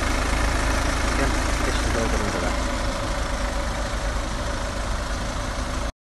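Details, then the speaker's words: Car engine idling after running about 10–15 minutes, heard in the engine bay: a smooth, even low hum with no rattles, knocks or flywheel bangs. Normal warm idle. "so it has been running for probably 10 to 15 minutes hopefully as you can hear there's no rattles or flywheel bangs"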